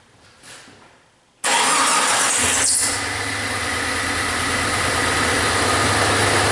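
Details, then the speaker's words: 2000 Jeep Cherokee Classic 4.0 L six-cylinder, about 130,000 miles, idling then revved: uneven skipping beat from one cylinder dropping out; codes P0300 multiple, cylinder 6 and 3 misfire; no mechanical rod knock heard, burnt or sticking valve not ruled out. "sitting there idling my ear it sounds like just one cylinder it's skipping and revving it up I don't hear anything mechanical in the sense of you know a rod coming through the side of it or anything"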